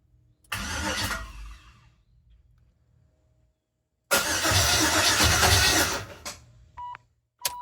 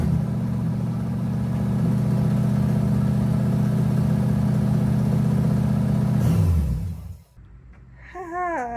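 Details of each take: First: Clutch S10 truck with LS swap, first start attempt with coils unplugged, fuel pump running: two cranking bursts without starting, the cranking beat lopsided and galloping rather than an even chug. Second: LS-swapped S10 run with the belt off to check whether an earlier noise comes from the front drive setup: smooth even idle, steady low rumble, no squeal, chirp or tick, then it winds down and stops.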